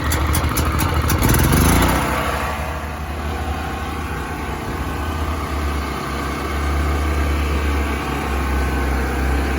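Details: New Predator generator on its first fill and start, just after the choke was turned off: speed wavers briefly, then settles into a steady, even hum with a smooth low rumble; it runs well.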